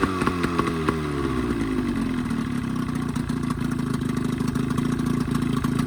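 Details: Evinrude 20hp modified to 25hp two-stroke outboard after full service (head cleaned, new thermostat, gaskets, primer seals, reeds): fires, revs drop, then settles into a steady, even idle; running healthy.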